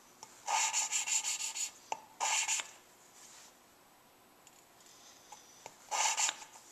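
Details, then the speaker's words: Lapping a new valve on a Suzuki Sidekick head rebuild. Short rasping strokes each carry a faint heavier grind at the start, nearly gone, so the valve is almost seated. "so now you can hear there's just a little bit of a heavy grind each time I start turning it pretty much going now"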